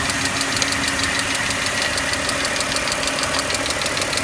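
Fast, even ticking clearly audible over a steady idle, keeping pace with engine speed; a top-end tick, cause still to be found.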